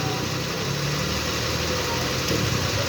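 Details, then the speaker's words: Kia Sportage idle after tightening the accessory belt via the alternator adjuster bolt: steady, even low rumble with no squeal or whine; the noise blamed on the power steering pump was the belt, not the pump. "E nesse parafusinho ali, tá bem ali em cima, eu apertei a correia embaixo, parou o barulho."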